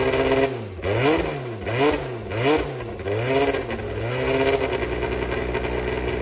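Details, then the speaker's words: Brabham BT21 historic one-litre F3 race engine, first cold fire-up after rebuild (new crank, balanced conrods, new sump), oil primed: catches, crisp blips rising and falling cleanly, settles to steady even idle; oil pressure good, normal start and run. "Okay, for a first time fire up, I think that was okay. The oil pressure all looks good."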